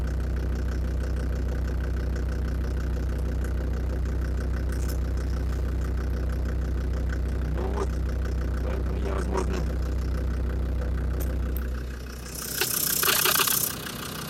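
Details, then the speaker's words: Land Rover Defender Td5 diesel idling after radiator work, mic near the snorkel: light even tick about three per second over the clatter, not going away with warm-up; suspected hydraulic lifters or exhaust manifold, unconfirmed. "я думал с прогревом он пройдет похожего не проходит"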